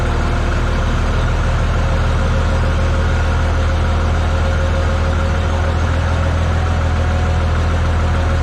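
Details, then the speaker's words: Tractor (950) that had to be started by bridging unhooked safety-switch wires: deep, steady diesel idle with no knocks or misses, running smooth, normal idle. "Man, this thing runs smooth. Now, I'm just going to let it sit out here and idle."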